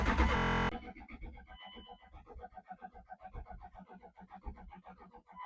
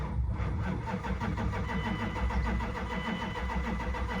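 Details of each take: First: 1998 Dodge Durango, sat over 10 years, on jumper cables after the fuel pump was heard running: even, rapid cranking for several seconds with no firing; won't start, owner wonders if injectors are firing. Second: 1998 Dodge Durango, 219,000 miles, sat over 10 years, possibly weak battery: quick, even, strong cranking from a healthy starter but never fires; owner tries starting fluid next.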